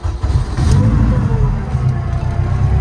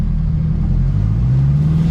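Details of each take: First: Turbo Honda Civic, after a gearbox change during which fluid seeped out: steady mid-pitched whine from the gearbox over the engine, rising then holding, disappearing when the clutch is pressed. Whine from low transmission fluid. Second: Honda Civic EK with a swapped engine, after adding the missing transmission fluid. Smooth low drive rumble rising with speed, with no whine, grind or clunk; the earlier gearbox noise is gone.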